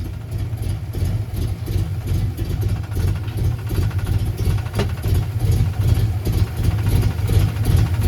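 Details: 1990 Ford Mustang LX notchback 5.0 with F-cam, 30lb injectors, no O2 sensors, idle adjusted, plugs not checked; deep, slightly lumpy V8 idle now fairly steady, sounding much better than at first start, though finicky when cold.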